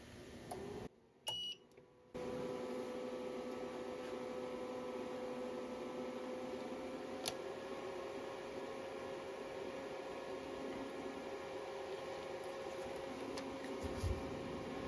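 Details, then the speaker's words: Tripp Lite Smart LCD 1500 UPS, five years old and dead, after battery replacement: power button held a couple of seconds gives a brief high beep, then a steady quiet fan hum; normal power-on. "guess you push this in and hold it for a couple seconds it beeps and then it's good to"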